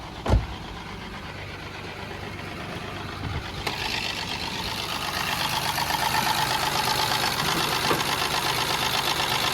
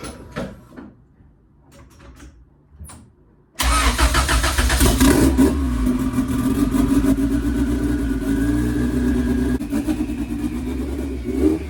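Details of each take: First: Honda EG Civic with turbo kit, cracked exhaust manifold runner before welding repair: engine fires into a loud raspy idle with a sharp puffing tick; exhaust leaking from the cracked runner. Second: 1993 Honda Civic with fully built sleeved turbo B18 and 6266 turbo, first start after turbo reinstall and oil change: engine catches at once and settles into a steady, even idle with no knocks.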